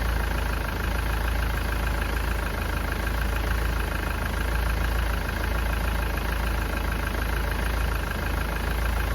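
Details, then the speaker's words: Ford Transit diesel losing coolant fast, running rough with heavy white smoke, suspected head gasket failure; at idle during a coolant combustion-gas test, warming up: deep idle with an uneven, lumpy beat instead of a smooth hum. "You may need to leave the engine running for 5 to 10 minutes to get up to temperature. But you can hear the engine's not running right."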